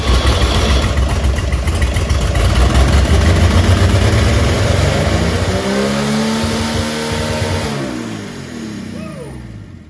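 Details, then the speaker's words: 1950 Chevy 3100 pickup on first start in over 35 years: engine roars at high revs out of control, then winds down as the coil wire is pulled; runaway because a stuck gas pedal kept the throttle from returning. "Had a runaway? Yeah, What'd you do to shut it off? I just pulled the wire going to the coil. Now, why did that happen? Oh, the throttle's not setting back all the way."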